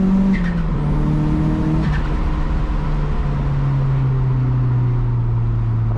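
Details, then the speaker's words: Turbocharged 240 on a test drive to check for leaks; temps good, intercooler pipes re-welded. Smooth, even engine drone falling steadily in pitch as revs drop, with no misses or knocks; running well. "love the turbo noises that it makes. I don't know if you guys can hear it, but it's just amazing."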